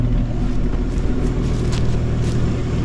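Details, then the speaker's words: 1955 Chevy 210 revived after sitting for years, idle mixture adjusted, heard at the tailpipe: steady, even low exhaust burble with no misses or ticking, lifter noise gone; normal, smooth idle. "but I think that's as smooth as you're going to get it listen to that that is beautiful come back down here to the tailpipe says it all well what's left of the tailpipe listen not a putt put butt sight"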